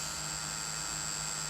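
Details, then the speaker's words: Acura MDX, key on, turn signal selected: no flasher clicks, only a steady high-pitched buzz from behind the dash; hazards flashed briefly then stopped; suspected flasher relay vibrating and not disengaging properly. "and you hear that buzzing noise sounds like it's somewhere inside of here let's try to the right almost the same thing it sounds like you know how your flashers are blinking it sounds like a relay going on and off"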